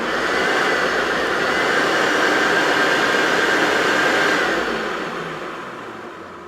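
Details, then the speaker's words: Hoover Turbopower Freedom U2262 vacuum after cleaning and reassembly refurb: smooth steady high whine with constant rushing airflow, then even wind-down; motor healthy and free-running. "it just sounds like a peel like a tube or power should now so fantastic"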